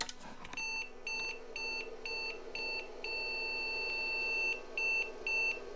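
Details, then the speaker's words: IBM PC/XT Model 5160 with failing bank 0 4164 RAM chips: a string of short high beeps with one longer steady tone; POST complains about bit 2, the chip not yet replaced. "okay it doesn't sound like it's doing parody so it's complaining about a bit too one two three so I didn't change that one"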